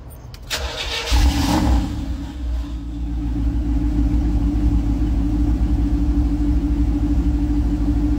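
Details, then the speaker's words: Chevrolet Camaro after about two weeks sitting: short crank, then catches unevenly and stumbles before settling into a loud, slightly lumpy idle once given enough fuel; hard start after sitting. "Bueno ya habéis visto que al principio pues le ha costado pero una vez que ya le hemos dado bien para que tuviese bien de comida ya ya está ya arrancado"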